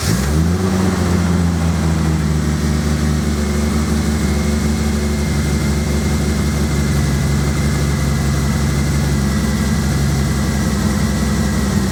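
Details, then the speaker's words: Single-turbo Toyota Supra straight-six idling after new spark plugs fixed a misfire: steady, even idle with a smooth low drone, now firing on all six cylinders and sounding healthy; owner suspects the timing may be slightly out. "he's running on all six and sounds pretty healthy so quite happy with that"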